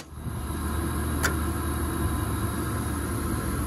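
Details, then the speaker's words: Late-1990s Lennox package unit, no-heat call: after replacing the faulty spark igniter/ignition module (R to W jumped), a single click then a soft steady low roar as the gas burner lights and holds; normal ignition restored. "oh the gas valve open it light oh yeah there she goes oh yeah we got ignition I got a little scared there cuz it was like super quiet even the wind died down it was like oh no it's not working but yeah so it lit up"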